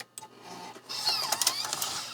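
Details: Vintage Mac floppy drive trying an 800K double-sided disk after a 400K single-sided disk read fine. Faint clicks give way to high buzzing seek chatter with sharp ticks as it fails to read. The owner suspects a dirty or broken top head.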